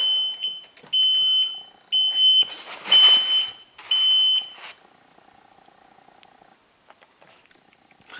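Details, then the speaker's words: 2013 Kawasaki STX-15F jet ski with battery connected: short high-pitched beeps about once a second and no cranking, because the safety lanyard wristband key isn't fitted. "Let's see if we have crankage real quick. We have no crankage."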